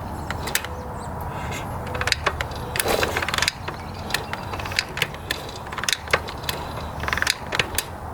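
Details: 1982 Honda XL500R single, stored about six years, kicked repeatedly: sharp irregular ratcheting clacks with no firing pulses; cranks but never catches. Fresh fuel is later seen leaking out; owner guesses the seller refuelled it after storage, tried to fire it up, then sold it.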